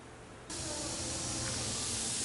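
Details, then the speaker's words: Steady, loud hiss of compressed air escaping from a leaking head gasket on a shop air compressor. "this one's got a leaky head gasket it's a good thing we found it now before something serious went"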